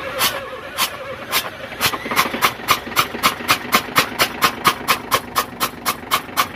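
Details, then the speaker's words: FAW truck diesel that sat 2-3 hours then wouldn't start, with water found in one cylinder: sharp, fast, even cranking at about two strokes a second, with water spitting out of the open injector bore on each stroke. "ठीक है तो हमने एक ही to Mysore खोला था क्योंकि हमें पता चल गया तो हमने देखा था कि एक ही या चैप्टर में मतलब एक की पिस्टल में पानी आ रहा था"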